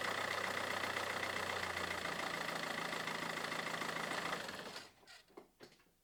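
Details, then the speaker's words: Mazda 6 diesel idling after the alternator belt tensioner and idler pulleys were replaced: steady rattly clatter with the belt squeal gone, then shutdown. "писк пропав, попідшипники поміняти."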